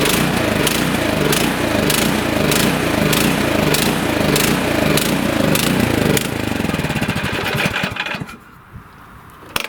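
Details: Nearly new, lightly used 24-inch Troy-Bilt snowblower left 9 months with gas runs only on choke: engine surges up and down about every half second, then stalls at idle; fixed by cleaning the carburetor with torch tip cleaners.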